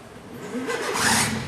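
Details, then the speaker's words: Engine on a test stand with automatic start, heard starting: a brief dull starter whirr builds quickly as the engine catches and runs. The dull noise is the normal starter sound, with no odd noises. "oua c'est normal le bruit c'est un bruit sourd un peu ah ouais c'est normal c'est le lanceur"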